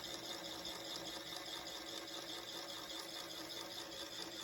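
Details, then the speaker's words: 1960s Westinghouse reel-to-reel, after lathe-shaving the rim tires and spindles, on rewind: soft steady hum and hiss, no growl or rubbing, quick click at end; motors barely audible, growl resolved; normal rewind. "the unit is running much quieter now you can barely hear the motors running in the background and we've got the growl resolved on the rewind and playback"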